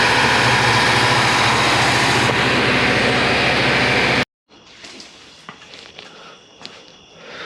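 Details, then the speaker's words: 1985 Mercedes-Benz 380 SL (R107) holding a steady, fast even idle well above normal with no hunting; vacuum leaks ruled out, hoses good, no power to idle air control motor; faulty idle control module, replaced. "this beautiful car is in here today because it's idling way too high we've already determined that it's not a vacuum leak all the hoses are good"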